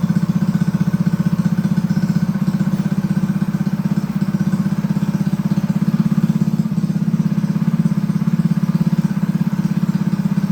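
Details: Honda GX200 clone single-cylinder engine clamped to a table stand, choke on, first start after build; thin, slightly uneven putter with no richness at idle, running lean; needs rejetting.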